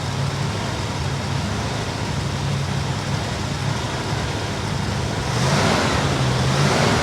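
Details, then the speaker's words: 1964 Chevy Bel Air with replacement 350 small-block V8, after sitting for years: steady fairly fast lopey idle held at 800–1000 rpm, otherwise it stalls; idle set to keep it running; high idle. "it doesn't want to come down it's got to stay 800 to 1000 RPM or it just stalls out"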